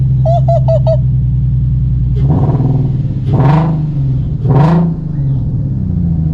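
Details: 2003 Nissan 350Z, first start in over two years after a new ECU replaced a dead one: a chime, then a smooth even idle with three clean throttle blips that rise and settle evenly. Running healthy.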